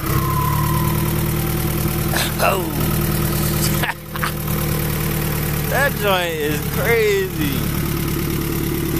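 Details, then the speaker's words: Honda Prelude F20B with a new, bigger Precision 6266 turbo and downpipe: smooth idle, then quick blips with a whistle climbing and falling on each rev; deeper tone and more whine than before, normal spool. "in person it has like a deeper deeper tone to it and uh and turbo is this is bigger here like wine up a lot more"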